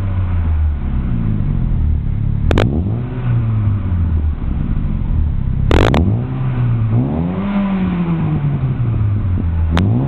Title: aveo exhaust (fixed exhaust leak)